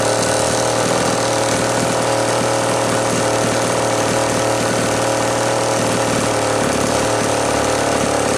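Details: Homelite Super XL chainsaw after rebuild, final assembly, compression reading satisfactory (new spec roughly 150–160 psi), rings not yet seated: steady even two-stroke buzz at constant high idle, no misfires or rattles; healthy normal test run.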